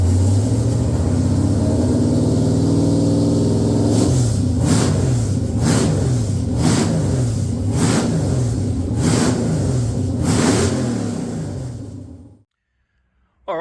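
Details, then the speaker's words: First start of a freshly installed LQ4 6.0L V8 in an XG ute, after a faulty new crank sensor was replaced: smooth rumble with about six quick clean throttle blips before shutdown; engine runs healthy. "I'm a very happy man. Very happy to hear this thing run."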